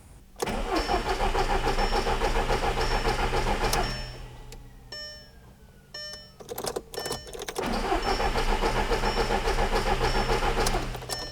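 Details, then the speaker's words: 2006 Audi TT Quattro 1.8 turbo with no check engine light: steady fast starter cranking for several seconds, never catching or firing; crank no-start. "So I'll go ahead and demonstrate to you guys that this thing will crank from here to eternity, and it will not start right now."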